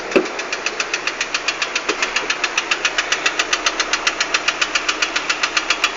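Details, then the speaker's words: 2008 Lada Priora (126 engine), unknown mileage, at idle with a full oil level: a sharp, regular knock 3–4 times a second. It stops when lifting off the throttle and is unchanged when each coil is disconnected; the pan revealed a broken intake-side piston skirt. "стук сильный отчтливый звук пропадает при сбросе Газа но не меняется при снятии провода с каждой катушки не меняется звук"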